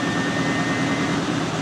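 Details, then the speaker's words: Miele W562 washer, Automatic 40°C woollens cycle with Water Plus and Soak, mixed hoodies and jumpers, spin burst around 600 rpm heading to 900: loud, even roaring drone as drum pushes through the bunched load. Unbalanced load during spin. "Uh-oh, no, unbalanced. Whoa! Millie's angry today."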